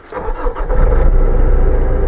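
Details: Nissan/Renault diesel with Denso pump, after SCV valve fault P1275 reset procedure, ignition cycled: cranks briefly, catches cleanly, settles into steady even idle with no misses or knocks; normal start and idle.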